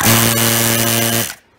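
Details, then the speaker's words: Harbor Freight 2-stage vane vacuum pump switched on briefly without oil: buzzing hum with harsh rattly hiss for about a second; oil very bad, pump tearing itself apart. Vacuum pump running without oil. "I really got to stop running this without oil on it because it's just tearing itself apart the oil is very bad"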